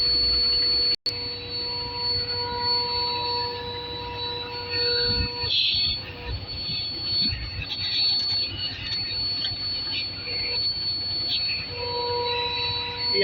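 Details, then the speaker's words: Truck air braking system, rear brake chamber leaking, confirmed by soap-and-water bubbles: a steady, sharp, arrhythmic hiss of escaping air comes from the faulty chamber, while the neighbouring one is fine; air brake chamber leak. "that noise? It's coming from here. This one is okay, but this one. That's where the noise is coming from."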